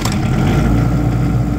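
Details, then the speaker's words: Airman SDG25 25 kW generator, which had no voltage output, running after the tripped output circuit breaker was reset: smooth constant low diesel drone at steady speed, no hunting or knocking; reads 60 Hz and about 200 volts, no load. "we got 60 HZ which is exactly what you should have and 200 volts"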